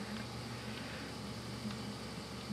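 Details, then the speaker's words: Hydrotherm oil boiler burner fired with the flame guard and covers off, so too much air gets in; steady low roar with a faint hum, even and unbroken; normal burner firing noise. "so that's all the noise that this ends up making"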